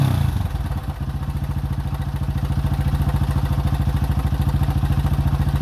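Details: 2005 Honda CRF150F (California street-legal) single, after a valve adjustment and carb tune-up for a no-start; it had previously run very high without idling. Steady, even idle beat at roughly 3.5 pulses a second with no misses. Running clean.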